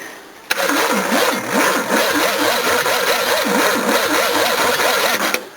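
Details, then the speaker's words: Battery taken from a smashed Ford, cranking a 351 V8 on a lead: strong, quick, evenly spaced cranking for about five seconds without dragging; plenty good for a small battery. "Oh, that's plenty good for a small battery."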